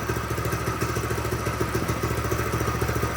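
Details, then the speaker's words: Tractor Supply mini bike with a Predator 212 engine, which would not start despite spark, fuel and air: with the non-venting gas cap opened it starts and runs with a steady, even single-cylinder putter at idle. "I opened the gas cap, it [ __ ] starts. That's [ __ ] crazy."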